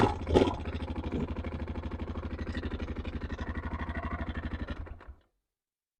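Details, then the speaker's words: Yamaha Grizzly 660 ATV idling: a steady run of dull knocks on the exhaust beat, then the engine dies. It smokes a little out the back, and the owner suspects a bad connecting rod (rod knock). Cause unconfirmed. "I think she's got a bad bad connecting rod or something it sounds like rod knock to me smoking out the back a little bit"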